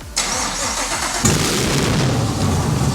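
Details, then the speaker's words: First start of a Gen 5 Chevy LT1 swapped into a vintage BMW, clutch pedal pressed: starter cranks about a second, engine catches and roars into a rough, loud run, then starts but doesn't stay running. "Holy that was it was the clutch pedal. It started, but it didn't stay running. So that's okay."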